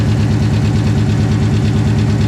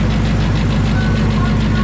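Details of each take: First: 900 hp Coyote-swapped, Whipple-supercharged Fox body notchback on E85, cold start: the idle carries a steady knock just under two per second, louder from underneath. Cause uncertain at the time; finding: loose torque converter bolts. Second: 900 hp Coyote-swapped, Whipple-supercharged Fox body notchback: steady, even, deep idle with no ticking, knocking or bellhousing rattle; earlier noise gone after retorquing and Loctiting the torque converter bolts.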